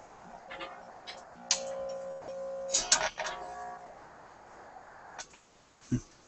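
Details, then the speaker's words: Sparton 99A vacuum tube radio during AM alignment at the 455 kc IF, heard from the voice coil output; a clear, steady test tone with no hum, after grounding the signal generator to cut the hum. "Now, we're at 455. There you hear the signal. Beautiful. That's just exactly what I'm looking for."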